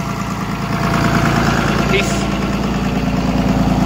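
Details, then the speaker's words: 24-valve diesel after injection pump redo, pin-timed plus a couple degrees advance: steady idle with even knock about three times a second, off its usual speed (said to run 1000 before); needs idle adjustment, runs better than before, slightly smoky. "it definitely needs an idle adjustment but besides that he said it ran a thousand before sounds like it runs better than it did last week"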